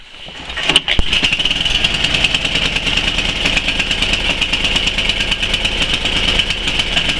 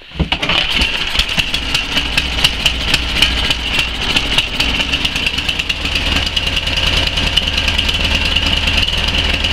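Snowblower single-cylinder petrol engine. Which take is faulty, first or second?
first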